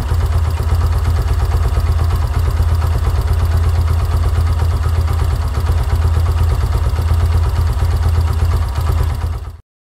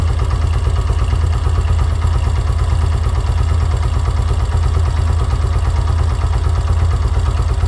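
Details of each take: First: Yamaha YBR125 single-cylinder CV carburetor, idle 1300-1500 rpm, idle mixture screw at 2 turns: even steady thump at a settled idle with no misses or hunting, then cut off cleanly; normal smooth idle. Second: Yamaha YBR125 CV carburetor, idle mixture screw turned in to 1.5 turns: weak, low chuffing idle close to stalling; lean idle mixture.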